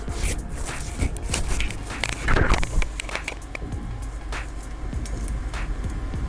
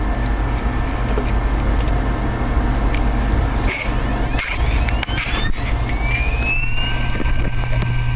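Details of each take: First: Server RAID hard drive with physical fault, microphone placed on the drive in data recovery lab: sharp clicks about three times a second over faint low hum; failing drive head clicking, compared with a matching donor drive. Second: Known-good RAID server hard drive (disc number 2, same batch and manufacture date as the failed drive), microphone on the drive, spinning up with a smooth rising whine to steady pitch, light seek ticks, no clicking; synchronized and ready status.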